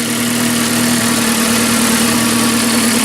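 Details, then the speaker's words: 1981 Alfa Romeo Spider Veloce, first run in about 8 years, exhaust section missing; warming up, idle dropping to almost 1000 rpm, temperature rising, oil pressure okay, steady and smooth with no knocks, normal. "we're almost idling at a thousand now temperatures coming up oil pressure looks okay"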